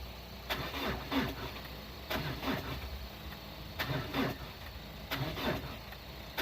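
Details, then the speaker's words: 2002 Renault Clio diesel parked about 3 years, jump lead moved to a fuse terminal for better connection: short sluggish cranking bursts with uneven catches, finally firing rough. Hard start from weak battery connection. "so hopefully that will give us a strong enough connection to get the booger started"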